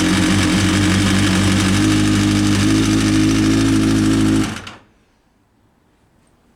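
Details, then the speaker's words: Kawasaki ZX-6R in neutral: quick, even light ticking over idle for about four seconds before the engine cuts; top-end noise, timing chain tensioner suspected as needing readjustment, unconfirmed. "a little bit of a top end noise it sounds like to me it sounds like the timing chain tensioner needs to be re readjusted"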